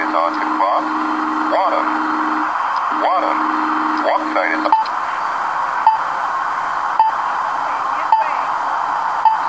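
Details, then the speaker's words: Accessible pedestrian crossing button at a hybrid signal, microphone right behind it; a sung walk message, then a steady ticking locator tone with short beeps about once a second. Walk announcement working. "Do another test on what this thing does, and it beeps."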